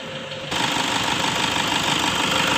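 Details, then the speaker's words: 2009 Toyota Innova 2.5 diesel automatic, complaint of shudder/stutter on initial acceleration, fresh oil and fuel filter, bonnet open: steady even diesel clatter at about 800 rpm; idle sounds normal, fairly smooth; dirty intake, tune-up and purging planned. "Nah, ini dia, teman-teman, suara mesinnya seperti ini. Soal suara mesin, Papi merasa tidak ada yang aneh. Untuk kelasnya, mobil diesel ini memiliki suara yang cukup halus."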